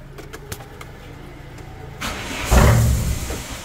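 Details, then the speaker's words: Car with failed MAP sensor fitted (harness and vacuum connected): short cranking burst rises and fades without catching, won't start even with throttle; no MAP code stored; bad MAP sensor prevents firing. "no más hace el intento de prender y por más que le acelere no va no va a aprender con ese map porque está bien madreado"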